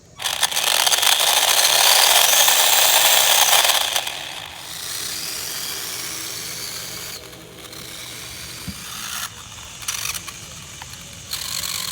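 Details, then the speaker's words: HBX Transit RC crawler in low range: loud, fast, regular ratcheting chatter about four clicks a second over the motor whine; worn, almost-stripped gears are skipping, and high range loads them further. "all right so we're in a low range and I hear the gear skipping which is great"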